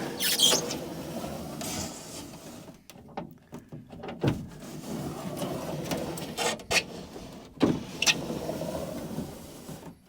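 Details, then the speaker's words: 1980 Dodge W150 plow truck passenger door, used junkyard window glass from a 1989 W250 just installed: short rubbing squeaks as crank turns, glass travels full height without binding; manual window regulator works normally. "I mean, that might be a win. Full window action. I like that. Whew. Well, that appears to be successful."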